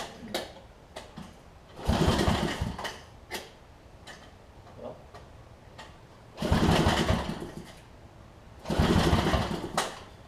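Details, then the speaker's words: Homelite LR4400 generator after carburetor and kill switch replacement, previously running: repeated pull-start chugs die away without catching; owner suspects it stopped pumping fuel and says there is now no spark; cause unconfirmed, and it later restarted on its own. "Might have just stopped pumping fuel. Now it doesn't even want to spark at all."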